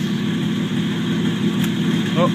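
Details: 1949 Chevrolet Deluxe 4-door, first run of a replacement engine swapped in for the locked-up original, no exhaust fitted. Steady, even idle with loud open rumble, runs smoothly with no knocks or misses; normal idle.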